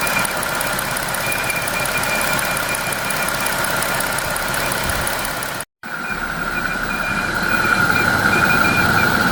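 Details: 2025 Jeep Wrangler Pentastar petrol engine idling with a steady high whistle/squeal, first mistaken for escaping air or a bad pulley; air-movement noise from a faulty old-style PCV valve, apparently fixed by fitting the new-style valve.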